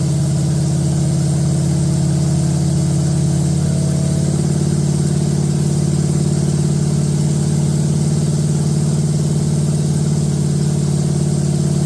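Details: Date-coded 1969 383 HP Super Commando V8, just swapped from a Barracuda into a 1969 Plymouth Road Runner, run with no tach and good oil pressure: steady, even fast idle with a smooth deep beat and no clatter. Healthy, though a rear main seal leak follows.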